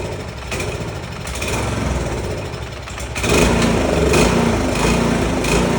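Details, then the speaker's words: Snowblower single-cylinder engine after carburetor repair mixing new parts with old carb: catches and settles into steady even putter that firms up halfway; starts and runs normally, successful fix. "It's a successful fix. Remember guys, if you don't try it, you're not going to fix it."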